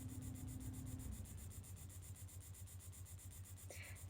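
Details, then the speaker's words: Orion TI-84 Plus talking calculator with the charging cord plugged in; a low, pulsing electronic buzz about four times a second and no speech, indicating a charging fault in the Orion speech module, which needs a replacement battery. "Now, if you hear this sound, this is usually an indication that there is something going wrong with this charging process. It's very, very unpleasant sound and there is definitely no talking happening here, which it will always talk when you plug it in."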